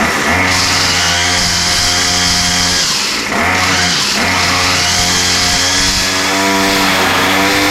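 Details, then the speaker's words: Murray M2510 straight-shaft two-stroke line trimmer, restarted on full choke after priming: loud, crisp buzz rising and falling smoothly with throttle, no stumbling; high-speed needle opened slightly as it seemed a little lean and slow to warm up. "yeah so it still sounds really really good uh I opened the highspeed mixture needle just a touch it sound like it was maybe just a little bit lean having trouble warming up but yeah it runs really really good"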